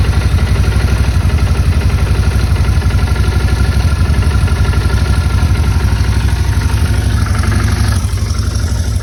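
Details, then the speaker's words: Motorcycle idling after checking wiring terminals, with the owner worried about a loud fuel pump: steady, even idle beat at about four pulses a second, no fuel pump whine or ticking. A healthy idle. "And I don't really even hear the fuel pump right now, so it sounds really good."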